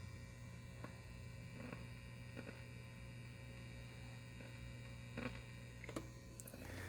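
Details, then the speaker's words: Fender Pro Junior tube amp, idle with no guitar or cable plugged in, turned up: steady low mains hum with faint hiss and occasional small clicks; owner suspects a blown tube, but replacing the tubes did not fix it. "I don't have anything plugged in I don't even have my guitar or cable in I just have it on if I turn it up you'll hear all these weird sounds and this happens to some two amps"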